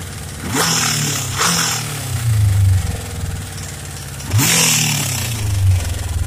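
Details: Suzuki Katana GSX 600 motorcycle revved in sharp blips: metallic clatter following engine speed, louder on the right side; owner suspects a knock from the cylinder head, possibly valves needing adjustment or camshaft beds.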